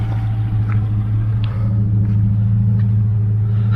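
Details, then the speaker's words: Chevrolet Aveo T250 with LPG, engine nearly warm, shaking at idle on petrol. Switched to gas, it idles with a deep, steady, even rumble and no missed beats: normal idle on LPG. "кнопочка прийшло на газ і бачимо двигун робить рівно робить"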